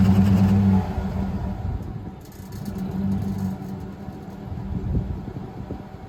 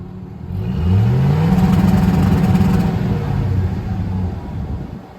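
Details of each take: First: 2007 classic Silverado V8 with MSD 2-step set at 1500 rpm: low choppy rumble bouncing off the limiter with a loose exhaust tip rattling loudly over the note; tip was removed. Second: 2007 Chevrolet Silverado Classic AWD lowered with newly installed MSD two-step, set to 2500 rpm, exhaust tip removed after rattling: engine climbs quickly then holds with choppy stuttering bark, no rattle; two-step limiter working cleanly, better than at 1500 rpm.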